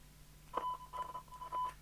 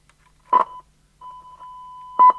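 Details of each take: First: Fidelity CB1000 UK CB27/81 mobile CB radio, scrap set, signal generator input; faint test tone breaking in and out over low hum and hiss; weak receive audio, owner suspects a duff squelch control or ropey socket. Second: Scrap Fidelity CB1000 UK CB27/81 mobile CB radio fed by a signal generator during recap repair; a steady mid-pitched test tone cuts in and out in uneven bursts, then holds longer, traced to a ropey socket on the back.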